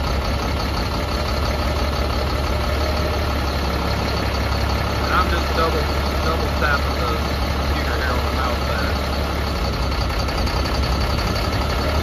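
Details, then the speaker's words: Caterpillar C7 diesel in Freightliner M2, rough running complaint with check engine light, no active codes, during manual cylinder cutout test via CAT ET: deep uneven idle shifting as cylinders drop; all cylinders changed equally, injectors judged working, cause unconfirmed. "all right we got the engine running the engine is running pretty rough"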